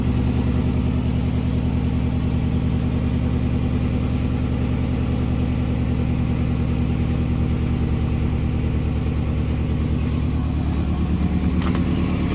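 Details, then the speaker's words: Mini Cooper running after cylinder head refitted: idle uneven and lumpy with a stumbling exhaust beat and vibration, misfire on one cylinder. "gosh not happy it's like it's missing it's firing"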